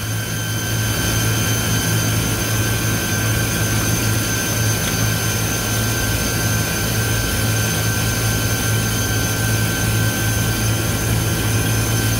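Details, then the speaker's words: Walk-in cooler compressor running with the high-pressure control bypassed. Loud, harsh steady drone with low hum and high whistling. Compressor very hot, discharge line warm, suction lukewarm, box temp high; bad compressor, internal bypass. "but that compressor sounds really healthy sounds like an internal bypass on the compressor right now"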